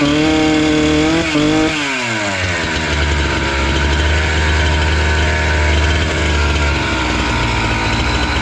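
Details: Husqvarna 268 two-stroke chainsaw that stalled once warm, after the carburetor screws were set to about two to two-and-a-half turns open. It blips up, then settles into a steady, even burble without stalling or hunting; idle is clean and stable.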